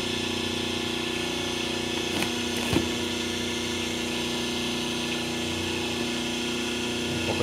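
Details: 5 hp three-phase motor on single-phase 220 V with 72 µF run capacitance between lines 1 and 2, 36 µF between lines 1 and 3, plus the start capacitor: soft, steady, even hum. Normal; phases balanced at about 208, 207 and 207 V.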